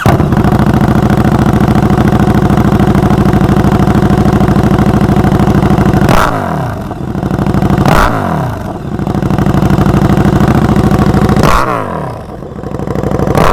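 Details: KTM 1290 Super Duke R, recorded close up: loud, steady, deep exhaust burble, then several sharp throttle blips rising and dropping back cleanly; a healthy big twin revving.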